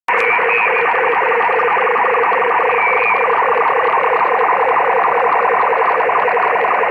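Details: Mobile HF receiver on the 20-meter band: steady buzzing hiss with fast pulsing chatter at about three and a half beats a second; the interference source is unknown, and the operator suspects parking lot lights.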